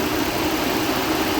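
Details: 2012 Mazda 6 3.7-litre idling from cold, temperature gauge mid, not overheating: steady loud fan roar, as the fan goes to high speed at once, pulsates and stays on after key off; owner suspects the fan control module, not the coolant sensor, and replacing the module fixed it.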